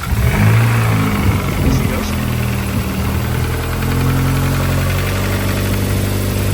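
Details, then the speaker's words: Acura Integra, turbo B18C with a built bottom end and rebuilt head after a broken sleeve, first start: catches with a brief rev, then settles into a smooth, even idle with all four cylinders firing. "Very good. Sounds like we got all four cylinders this time."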